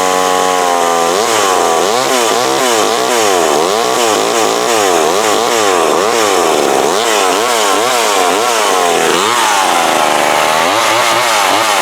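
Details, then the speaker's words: McCulloch Mac 120 chainsaw cutting a board with a dull chain after carb screw adjustment; high two-stroke scream bogs down and recovers repeatedly under load without cutting out, running properly, would cut better if sharpened. "It tried to cut. If it was sharp, it would have cut that board, or sharper."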